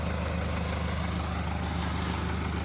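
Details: Hyundai Santa Fe diesel brought in for cylinder 3 misfire, smoke and oil leak, after repair: even low idle with steady firing rhythm, no misses or stumbles, all cylinders running; turbo still to go to turbo service.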